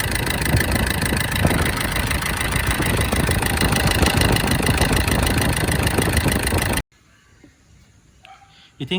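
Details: SsangYong diesel at idle during an injector test: pulsing clatter around 200 knocks a minute before shutdown; rough idle, injectors suspected but not confirmed.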